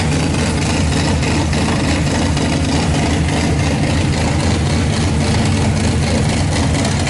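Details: RB26-swapped Subaru WRX, second start on Haltech ECU base map with new Tial 44mm wastegate: loud, lumpy idle with deep uneven rumble and raw exhaust roar; rough running.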